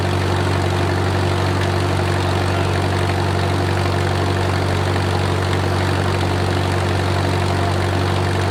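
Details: Wartime H tractor, last run around the 80s or 90s, at full operating temperature: a steady, even low idle with a smooth, regular beat, no knocks or misses and great oil pressure; a normal idle.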